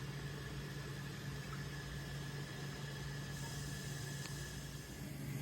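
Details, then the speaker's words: Apartment toilet that keeps running. With the seat and lid cover on, its loose flush buttons appear to be held down. Steady low hum with a constant faint hiss of water as the cistern keeps refilling. "It sounds like it's filling up. I can hear the noise that it makes, but I got the cover. Okay, so it's filling up."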